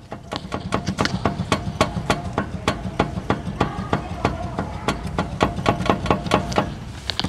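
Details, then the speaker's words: Toyota Hilux single cab, steering linkage rocked by hand: sharp, regular clunks about twice a second; play and noise from worn steering joints, with a torn boot on one side. "tô vendo aí a folga e o barulho nessas articulações da direção é impressionante né"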